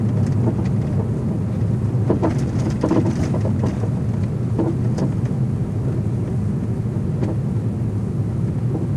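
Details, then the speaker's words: Porsche Boxster 987S coasting at low speed: steady road rumble with irregular dull knocks over bumps, very noisy through towns; suspension clunk, loose suspension part suspected, not confirmed. "it does take away quite a bit of the enjoyment of driving the car when getting driving through towns or anything at a low speed does just become incredibly noisy"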